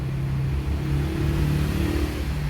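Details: 2003 Honda CR-V after its faulty ECU was repaired and refitted, following a no-start: the engine blips up and settles smoothly, a steady low drone with no stumble or knock; revs cleanly and runs normally.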